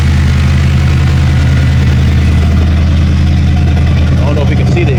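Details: LS-swapped vehicle nearly finished at muffler shop, exhaust fully connected: deep, loud, lopey V8 rumble idling evenly with no knocks or misses, exhaust sealed; healthy idle.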